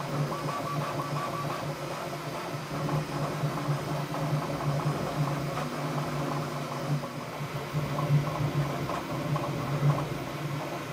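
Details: Bambu Lab P1S on firmware 1.05, printing the same test cube a third time after a full auto calibration: low, even motor hum with soft irregular stepper chatter, no grinding or squeal; normal printing noise.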